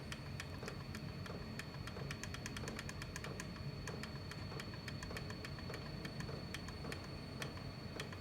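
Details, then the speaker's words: 8 kW portable diesel heater fuel pump clicking, quickening toward the top rate, over steady fan hiss; normal pumping, low rate burning about 0.1 litres of diesel per hour. "ear that click noise that's the frequency of the pump so it's a pumping one so that must be it pumps just over a second one pump just over a second"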